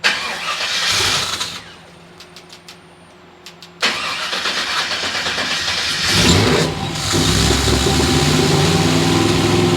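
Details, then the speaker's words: 454 in a cab-over truck after throttle body rebuild and parts replacement: cranks, catches and settles into a rough, lumpy idle, throttle body hanging open and over-fueling; owner suspects a bad ECM. "Whoa, see, it's hanging open again. Oh, gosh. It's just over-fueling."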